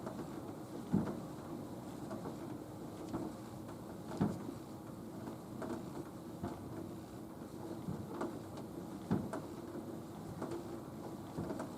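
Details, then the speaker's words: Nautilus U614/U616 exercise bike: soft, dull clunks once every other pedal turn that worsen with longer pedaling, fade and return, and stop under heavy foot pressure. Pedal is loose on the crank spindle. "It's doing it every other cycle. And it seems to get much worse. The longer you pedal, the longer I pedal, the worse it gets, and then it starts to disappear, and then it comes back"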